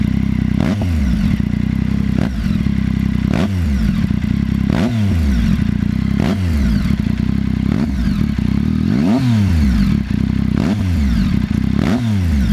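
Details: ST3 engine running with clattery bursts about every second and a half that rise and fall with revs; a top-end rattle of unknown cause, and the owner suspects the cam chain tensioner (CCT).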